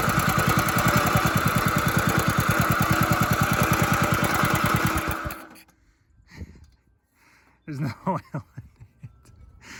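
A small single-cylinder engine chuffs fast and evenly for five seconds, then dies; it was running with an empty crankcase.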